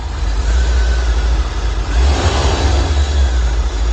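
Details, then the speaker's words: 1985 C4 Corvette after chasing a no-start, plugs suspected fouled, timing not yet set: deep steady roar swelling smoothly in revs with no stumble or popping, pulling cleanly. "You can see she's hunting just a little bit."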